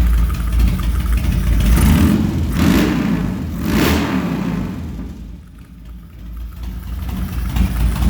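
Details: 2003 Harley-Davidson Dyna Low Rider with unknown cams, headwork and high-lift valve springs, previously a non-runner, restarted warm without choke: fires up, answers throttle blips cleanly, drops to lumpy but steady idle; running, fuel system still needs flushing.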